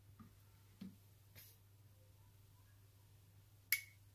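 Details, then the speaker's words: Furnace with thermostat set to heat after 24 V checks: single sharp click over low hum as the thermostat relay calls for heat; normal, though the board then flashes a reversed line-voltage polarity code. "once you hear that click that indicates to me that my thermostat is calling for Heat"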